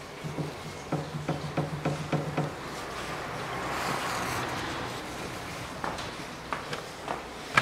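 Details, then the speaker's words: Mitsubishi ASX 1.8 2013, stationary, rocked side to side then on lift with wheels off: sharp hollow clunks, about eight in 2.5 seconds, as the anti-roll bar is rocked; both front sway bar end links worn, bushings fine, links replaced. "Вот такой вот стук. Сейчас подниму и покажу. Поднял автомобиль, снял колеса. И вот так вот ведет себя стабилизатор. Весь вот этот стук именно отсюда, с одной стороны и с другой стороны."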